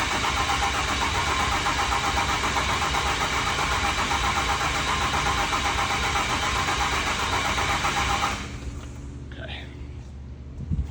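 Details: Diesel swap: 6.7L Cummins going into a tow rig, cranked over without firing to build oil pressure and get oil to the rockers; steady, even starter cranking at about four turns a second, then cutting off; normal cranking.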